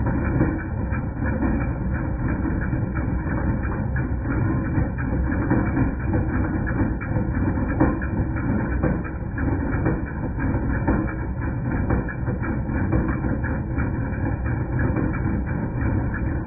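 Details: 2010 Jeep Patriot Sport 2.0 idling with an uneven metallic clanking about once a second; persisted after new power steering pump, pulleys, tensioner and belt; failing alternator, noise gone after alternator replaced.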